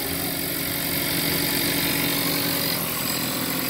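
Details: 1.4 TSI Jetta (2017 or 2019) at idle: fast, loosely regular metallic rattle, about four per second, over bright hiss, present since purchase; owner suspects turbo, sounds like something spinning and knocking; source unconfirmed.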